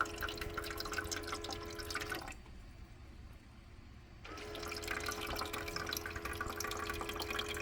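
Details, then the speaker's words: Shinil SIM-M230WS ice maker after its tray motor was repaired: a steady low pump tone with trickling, rising water that pauses then resumes as the pump lifts water into the tray normally. "Can you hear the water rising? The pump is pulling the water up."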